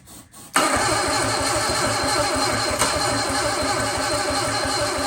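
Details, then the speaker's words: Sunbeam Alpine 1725 engine cranking on starting fluid with the throttle propped wide open: steady cranking, no firing. "That's right, distributor is not spinning because it popped up. It's as simple as that."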